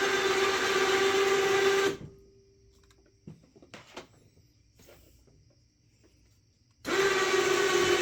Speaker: sounds like hell but it's working let's hop off here and take a look so it's doing what it's supposed to